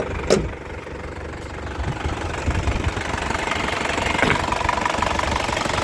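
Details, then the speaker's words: 2001 Isuzu Panther LS manual diesel at idle, engine bay dry with no oil leaks: steady, even crisp clatter, stable idle with no limping, tapping or stumble; normal idle. "Jadi, ngecek mesin itu dari suaranya sudah kelihatan. Stasionernya enak, mesinnya stabil, itu tidak pincang ya suaranya. Tidak ada yang aneh-aneh, tidak ada yang tak tak, tidak ada."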